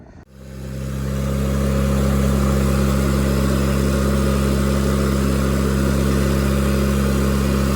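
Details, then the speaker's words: Miller Bobcat 225G welder-generator, idle for years, after starter solenoid, ignition pickup, alternator, fuel pump and fuel line repairs, while welding: pulls up quickly, steady even drone under load, no misses or knocks; the welder works fine. "Okay, so we got the the pieces tacked. Uh that the welder seems to work just fine."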